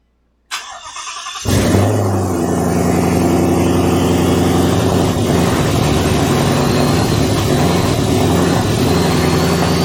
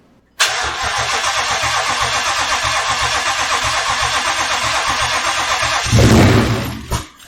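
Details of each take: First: Twin-turbo Ford Mustang build, first start on a new base tune with no exhaust fitted; after a brief crank it catches and settles into a steady, even rumble with no more rough running. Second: Ford Mustang twin-turbo build first start: cranks and catches at once, runs rough about five seconds, surges, then dies abruptly and sets check code; stalls after start.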